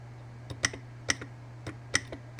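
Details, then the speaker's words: 2004 Honda Element/CR-V automatic transmission shift solenoid bench-tested off the vehicle with 12-volt battery leads: crisp sharp clicks in irregular pairs over low hum; this solenoid snaps cleanly and works correctly. "That one's functioning correctly."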